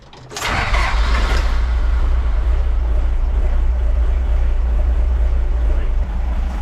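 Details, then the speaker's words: 40-plus-year-old HJ47 diesel, cold start after new glow plugs now draw correct current. A heavy, lumpy low rumble that never smooths; the owner thinks one or two cylinders aren't firing well, not the glow plugs. "a bit OD that it's it's still rough when it's cold which still suggests that one cylinder or two cylinders still aren't firing great"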